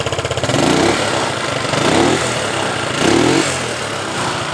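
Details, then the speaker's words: Yamaha Mio Sporty scooter that died completely, after cleaning clogged carburetor pilot and main jets (air filter still needs replacing): small single revs cleanly three times and settles to steady idle; healthy throttle response. "sudah respon dengan sempurna dan akan kita konfirmasikan juga kepada pemiliknya"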